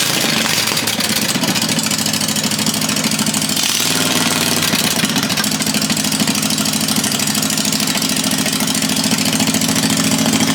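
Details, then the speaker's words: 1980 Daihatsu S38 kei mini truck after an engine swap to a 23 HP Briggs & Stratton Vanguard V-twin, first start after fuel was primed, throttle set on slow: steady, even, lumpy twin beat, no knocks or rattles; normal healthy idle. "That's not loud. That sounds so good."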